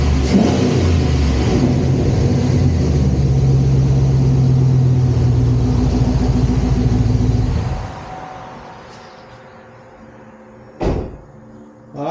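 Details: Chevrolet SS Intimidator (Dale Earnhardt edition) after repair, part angled away from the knuckle: engine revs strongly about eight seconds with smooth even exhaust note then settles, no knock or rattle left; repair fixed the noise.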